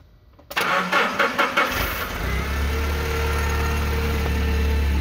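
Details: Nissan forklift with E27/P0335 crankshaft position sensor code, extended crank and intermittent no-start, after fitting a new crank sensor: a few quick cranking pulses, then it catches within about a second and settles to a steady, even idle; normal start.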